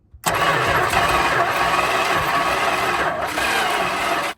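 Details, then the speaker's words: 1974 Dodge Monaco police 440 V8, weak battery, distributor in and timing close: even starter churn about four seconds, never fires despite some apparent compression. "all right I'm gonna need someone to explain that to me cu the distributor is in right and the timing's close and it sounds like it has some compression but it's like it's not good"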